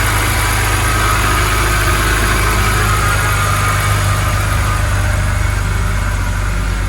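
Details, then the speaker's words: BMW E90 N52 petrol engine idling smoothly with steady low hum after repair; high-pitched whistle gone, caused by a collapsed or torn oil filter. "violence so far yeah it's gone"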